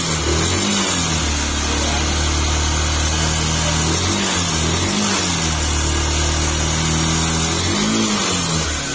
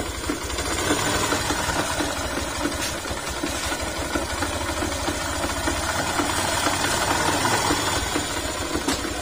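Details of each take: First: Yamaha YTX 125 engine after repair with cover and new paper gasket refitted, gear found installed reversed; engine revs and settles smoothly, even exhaust note, no knock or rattle, earlier noise gone; normal running, remaining sound only external. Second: Yamaha YTX 125 single idling after all bearings and connecting rod were replaced, noise unchanged; uneven rattling knock, roughly four a second, over the engine beat.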